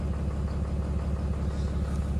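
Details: 2022 Ram 3500 diesel, hot-shot truck towing about 25k lb, warming up at idle with exhaust brake choking: faint dull rhythmic thump; owner attributes it to a bottom-end knock with compression loss that comes with load, not engine speed.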